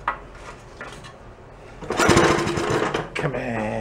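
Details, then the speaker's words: Antique Briggs small engine after carb and gas tank work, carb dripping fuel: repeated quick pull-start cranking bursts that never catch; turns over but won't fire, suspected flooded with fuel sitting inside, not confirmed. "I think it might be fairly flooded. We're gonna find out. Yeah, it's got a lot of fuel sitting down in there."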